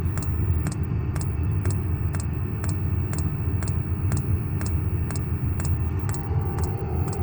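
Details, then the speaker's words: Vevor 8000 BTU diesel heater newly installed in a truck camper with a 5-gallon fuel tank and inline filter: low even roar with a crisp, regular fuel pump tick about twice per second; running normally. "The heater is actually running now. You can hear the fuel pump ticking."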